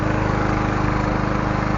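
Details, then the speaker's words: Honda GCV160 beater lawn mower engine running after the faulty ignition coil was replaced: a quick, steady putter with an even beat and a faint constant whine, running smoothly and evenly. "Alright, she's alive. We got her running. Sounds good. It was a coil. The coil was messed up."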